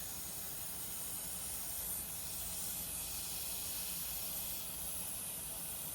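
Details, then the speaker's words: Robinair 134Z refrigerant recovery machine, compressor suspected faulty: filter drier fitting loosened with pliers, motor off; steady hissing as leftover Freon escapes, which the compressor had been unable to pull out. Refrigerant leak at loosened fitting. "You can hear a little bit of leakage. Just a little bit of Freon escaping there. Primarily because the compressor was unable to really pull that out."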